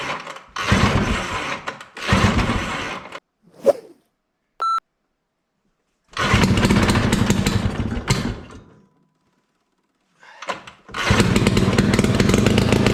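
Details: 1968 Ski-Doo Super Alpine with Rotax 370 opposed two-stroke, muffler removed, on choke: bursts into life, then sags and dies between tries and never picks up revs. Fuel starvation: the expensive fuel lines fitted years earlier wouldn't let it pull enough fuel.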